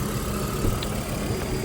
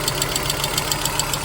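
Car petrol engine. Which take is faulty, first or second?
second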